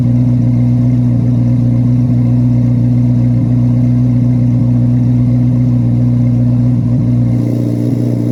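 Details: 2024 Carbon Flash Chevrolet C8 Corvette Z06 V8, cold start in a garage: deep, even rumble at a raised cold idle with clean free revs and no knocks or ticks; normal, healthy engine.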